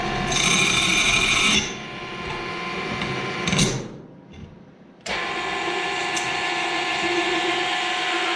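A shrill, screeching cut with a high whistle over the spindle drone, then a steadier grind: the bit is struggling through hardened steel.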